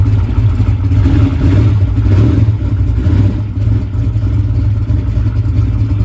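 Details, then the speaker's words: Drag race car that was hydro-locked earlier, cranking with reduced current draw: a low, labored, slow uneven cranking drone with no catch and no start; a bad battery cell is suspected. "We may just have a bad cell in the battery."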